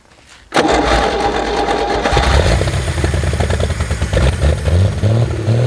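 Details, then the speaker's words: 1964 Chevy Biscayne parked 30+ years, after restoring spark and brake-clean prime, first run with slight throttle: V8 settles into steady slightly raised idle with even beat; normal fast idle. "See if we can give her a touch of throttle. There, that should be just a little over a idle, really."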